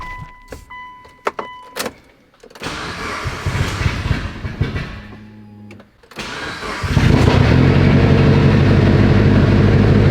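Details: Mitsubishi Evo 8 on its first start after lifter bleeding and engine work (not a full rebuild); the lifters sound very quiet. Short starter bursts, a stumble, then it catches into a loud, steady idle that sounds slightly odd but has no knocking; normal idle.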